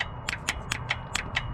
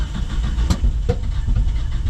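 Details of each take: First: 1977 Datsun 620 broke down, suspected jumped timing, key on, distributor cap and rotor off: sharp dry snaps four to five a second, no engine running; coil is firing, so ignition box likely works. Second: 1977 Datsun 620 pickup, suddenly while driving after running smooth: deep uneven four-cylinder rumble with sharp pops about every second, misfiring and backfiring real bad; owner suspects jumped timing, also notes poor-looking fuel in a fuel filter.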